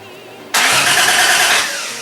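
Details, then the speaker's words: Toyota Supra with a 1JZ engine swap, first crank on a battery with the fuel pump still unplugged: the starter spins the engine hard with a steady whir but it never fires. Cranking no start from no fuel supply. "all right that's a huge sign um now all we have to do is plug in the plug in the fuel pump in and hopefully something happens"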